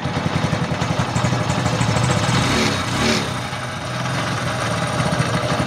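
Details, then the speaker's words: Honda CT125 single-cylinder engine idling: steady idle with rough, gritty grinding undertone on each beat; top-end camshaft bearing found crushed, confirmed rough when turned after removing timing sprocket; worn camshaft bearing. "Saraan nito pagka ganito mga idol ay camshaft bearing. Yung nga dito sa taas ay durog na yung bearing niya."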